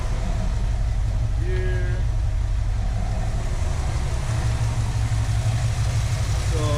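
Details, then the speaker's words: 1973 AMC Hornet with a weak engine, restarted after a loose plug wire was refitted, possibly flooded: smoother but still uneven, loping idle with a lumpy stumble; rough idle, compression test planned. "there we go that's a lot smoother already I can hear it except with the symptoms"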